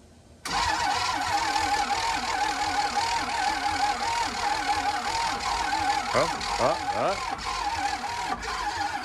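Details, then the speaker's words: Abandoned diesel motorhome RV that had sat a long time, battery at 12.13 volts: starter whirs on and on with a wavering pulsing churn, engine spins over but never catches; crank, no start, cause unknown. "power's over here but still not starting yes okay we're spinning over but let's get more power"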